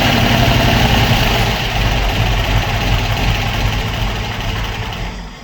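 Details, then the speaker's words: Opel Manta hatchback with Ascona front end, first start after about 20 years sitting, camera at the front; low chugging idle with an uneven, hesitant beat that falters and struggles to keep running on its own: misfire, owner to turn idle up. "well it runs a little bit Missy but it hasn't been run for 20 years or so"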